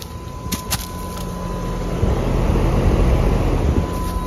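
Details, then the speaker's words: Trane XR13 outdoor unit with loud, rough low roar over a steady hum, much harsher than normal; compressor suspected dying, not confirmed. "this one has an lg compressor this training they got a new compressor has a dying compressor"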